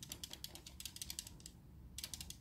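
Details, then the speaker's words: SteelSeries Rival 3 wired mouse, older unit, after reassembly: bursts of quick light plastic clicks when shaken; something loose inside, suspected an internal part no longer held firmly in place; new unit silent. "bak bir ses geliyor sadece o da nereden geliyor şuradan mı geliyor Belki de bu parça onu o yerinde daha sağlam tutuyordu"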